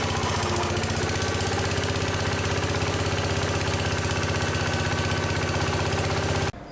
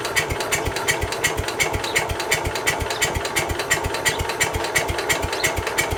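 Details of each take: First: Case 222 lawn garden tractor, sat for years, started with starting fluid at half throttle: steady even firing about four beats a second, holding speed until shut off; engine running normally. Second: Case 222 lawn garden tractor, sat about four years, new battery, choke on, half throttle: steady starter chug about three beats a second, never firing; cranks but won't start, cause unconfirmed, starting fluid next.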